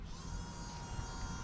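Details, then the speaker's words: 1996 Ford F250 7.3 Powerstroke diesel, newly installed Irate Diesel electric fuel pump conversion, pump powered by rigged wires with engine off before setting fuel pressure: steady, even electric buzz with constant whine, no surging; normal pump running. "Hear the pump running. Okay, let's set fuel pressure."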